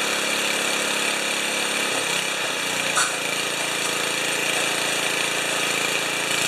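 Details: 1973 Tecumseh single-cylinder snow blower engine after carburetor refit, full choke, mid throttle: harsh raspy sucking over the exhaust note; no fuel leakage, source unclear, possibly intake, not found.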